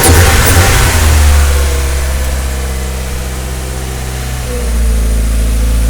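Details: Mazda Miata, first start in almost a year, hood open, owner suspects an oil leak. Smooth four-cylinder idle that rises cleanly with the revs and settles back evenly, no knocks or misfires. Normal idle and revving.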